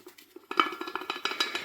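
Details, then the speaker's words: BMW E36 328i rear propshaft section, to be fitted to a turbo E30 with GS6-37DZ gearbox swap, rocked by hand: sharp metallic clacks about eight times a second; universal joints at both ends worn totally loose. "But I have problem with this, because this is the E36 328i rear section. Same as the 325i has, and the universal joints in this are totally gone. I don't know if you can hear, but these make a quite loud sound."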